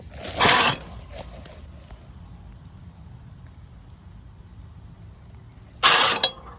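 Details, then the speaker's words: Toro TimeCutter mower that won't move, only one wheel working, key off: two short whirring buzzes about five seconds apart as the brake release mechanism goes off on its own; owner suspects faulty sensors, cause unknown. "that thing is going off for no reason look at it remember the key is off let's see if it's unlocking and locking the brake mechanism"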